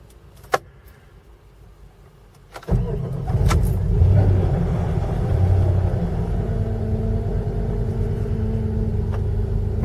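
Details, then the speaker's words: 1995 Jeep Grand Cherokee 5.2 V8, formerly hard-starting below 35 degrees, after Seafoam and throttle body cleaning, cold start at 22 degrees: brief crank, catches within a second, steady even idle with no stumbling; normal. "Well, it cranked right up this morning. It's 22 degrees."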